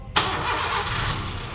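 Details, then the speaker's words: Honda Brio after engine overhaul, previously ran so badly it was shut off within seconds: starter catches at once, smooth even idle with no knocking or rattle; healthy start after repair. "oke nah Ini teman-teman suara mesinnya ya Jadi kalau kemarin sebelumnya suaranya parah k jadi kita pun gak sempat hidupkan lama-lama"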